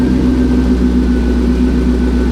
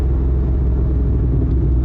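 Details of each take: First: Turbo Corvette V8 at idle, with boost down from about 7–7.5 psi to 6 psi and a strong exhaust smell: a steady rumble with a light, fast tick from an exhaust leak. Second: Corvette with boost restored after it had dropped from about 7–7.5 psi to roughly 5.9 psi; spark plugs inspected and reinstalled. Short, hard third-gear pull with a deep, steady roar and no misses; normal acceleration under boost.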